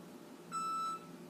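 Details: Six-month-old Frigidaire gas range, model FPGF3077QF: single clean, high-pitched electronic beep of about half a second, sounding nonstop and intermittently for days. The main control board was faulty and was replaced.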